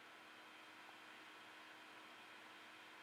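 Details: 3D printer just powered back on via reset switch after relay auto power-down (PSU control) test; soft, steady airy hiss with faint low hum and no rattles or surges; printer fans running normally.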